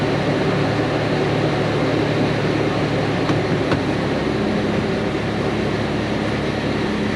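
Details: Toyota FJ Cruiser 4.0 V6 1GR-FE, first start after timing chain replacement for P0016: faint steady whine over idle from the power steering pump, noisy from air in the system and spilling fluid.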